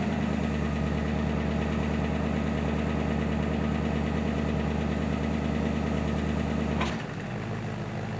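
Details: 1963 Impala SS inline six (230 or 250, not 292) with OEM fuel pump, new lifters with one heard slightly sticky: steady, even low thrum, no knocks or stumbles, note drops away at end; fuel pump good, normal idle.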